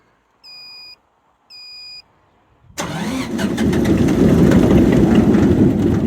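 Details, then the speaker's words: Greenmech Quad Chip wood chipper after yearly service and engine service, battery freshly charged, fuel system likely empty: two warning beeps, then rapid cranking about three turns a second with no catch; crank no start, suspected lack of fuel. "No fuel in the fuel system at the moment, I bet. I've got to crank it over a few times."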